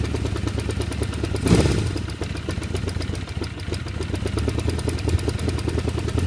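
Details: 1978 Honda CB550K four-cylinder motorcycle idling with a quick, steady ticking over the engine note; source and cause of the engine ticking noise unknown to the owner.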